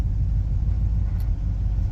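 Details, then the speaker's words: Classic catering truck with 351 Windsor V8 on a 500 CFM 2-barrel carburetor, on-road test drive at mostly low rpm: deep steady rumble, no knocks or misses, no oil or fuel fumes; runs well, normal. "Sounds good, doesn't reek with oil fumes or fuel fumes, so I can dig it."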